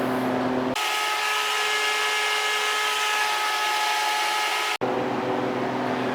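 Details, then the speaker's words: New Harvest Right freeze dryer during its functional test, compressor running just over 30 minutes: tray at 52, room at 78°F, chamber at -21°F. Steady, even hum at constant pitch with no knocking or rattling; refrigeration compressor running normally. "okay so the compressor has been running for just over 30 minutes now the tray temperature has dropped to 52."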